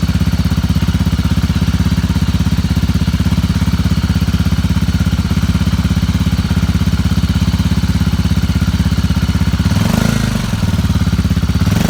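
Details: Motorcycle with a really bad battery on its first start attempt, using a new, uncharged small power-bank jump starter clamped to the battery negative. Steady loud engine pulse with a brief stumble near the end. Hesitation from the weak battery.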